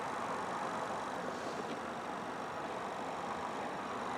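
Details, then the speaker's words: 2007 Toyota Tacoma with A/C blowing no air, after the blower motor harness connector was reconnected. Key on, engine off, blower on low: steady soft whoosh, no rattle, tick or squeal; blower motor running normally. "so let's turn on the low yep i heard the motor running"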